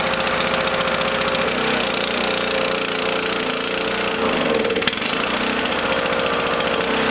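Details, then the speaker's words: Small lawn mower engine in a fuel additive experiment, running unevenly with a ragged, wavering, surging beat on part choke; it still needs a feathered choke. "i gotta keep choking these to keep them running until they get warmed up enough to run on their own"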